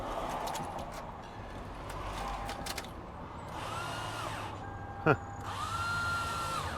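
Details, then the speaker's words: 2004 Toyota Sienna van with a customer no-start complaint: weak, uneven cranking attempts, then a high whirring whine that rises and falls without the engine catching. A failing starter is suspected. "all right i'm not sure if you can hear that but that doesn't sound normal let's take a look under the hood"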